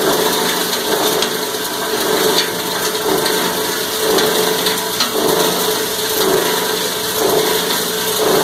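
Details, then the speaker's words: Cumberland granulator chopping about 10 pounds of copper wire: steady high-pitched chopping roar, noisier while grinding, with slow surge about once a second as wire tumbles; normal grinding under load. "Alright, we ground about 10 pounds of wire. A little bit more noisy when it's grinding. And you can hear it surging as it's rolling it around."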